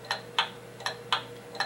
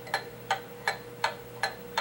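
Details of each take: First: Pendulum clock, beat amplified by a sensor clip on the winding arbor: ticks alternate about a quarter then half second apart, an uneven limp. Out of beat; fix is adjusting the crutch. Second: Pendulum clock movement after bending the crutch counterclockwise to adjust beat: even tick-tock at about 162 beats a minute, every tick evenly spaced with no limp; clock is now in beat.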